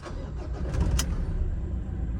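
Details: Mazda BT-50 Pro diesel, previously with gear warning light, revving only to 2,000 rpm, airflow code from an air leak; after repair and codes cleared: quick crank, catches straight away, steady even idle, clean start.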